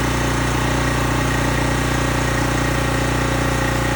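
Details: Small engine on a high-pressure washer pump with water connected, running after the cleaned carburetor was reinstalled. Smooth, even buzz at steady speed with no misses or surging: runs properly.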